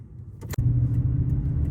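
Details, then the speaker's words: Inside the cab, parked at idle as an ambient baseline, about 49–50 dB, on used Mickey Thompson Baja Boss AT tires; low steady even engine rumble, no knocks or ticks, normal idle. "All right, so we're sitting idle right now. I'm gonna get a baseline of what the ambient sound with just the engine running. Right around 49 to 50 decibels in here."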